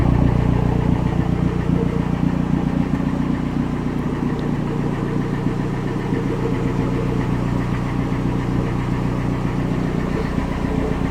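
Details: 3S-GE turbo engine just started: lumpy idle with an uneven pulsing thump over the low drone; abnormal idle noise, cause unclear.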